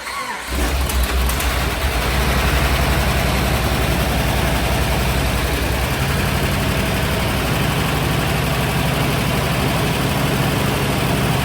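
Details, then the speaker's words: Petrol truck running a swapped-in engine taken from a buggy that had an exhaust leak; starts and settles into an even idle, runs nice with no misfire, but a light quick tick remains over the idle; cause unknown, not confirmed. "Runs really nice. There's no misfire. There's still a tick."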